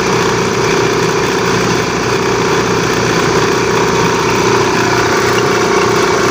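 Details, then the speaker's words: Air compressor at first start: loud steady running with rough rumbling chatter and drive squeal, noise fading after a while; worn drive belt slipping on the motor pulley. "Ayan guys ito yung problema niya e pag unang start niya ganyan maingay siya tapos maya-maya mawawala siya yan ang naging problema nito"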